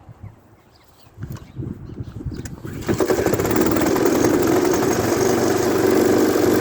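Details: Efco LR lawn mower engine after front axle repair: catches after a few tries, then settles into a steady even beat about four pulses a second with no misses; normal running.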